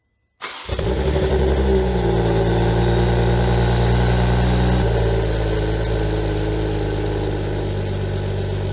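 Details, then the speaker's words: 2021 Toyota GR Supra rebuilt after a wreck: after grinding a little of the teeth away as a test, the engine cranks and catches cleanly to a steady deep idle with no metallic grind, confirming the starter hitting the flex plate; starter suspected not retracting. "Good news, the noise is gone. That means the starter hitting the flex plate was in fact the issue."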